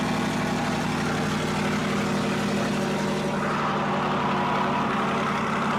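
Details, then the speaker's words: 2023 Corvette C8 Stingray V8 cold start, warming before a DCT fluid change: loud, steady idle with an even low rumble and fast high idle; healthy normal cold start. "Okay, so we're going to fire it up, a cold start here. I'm going to fire this up. Cold start."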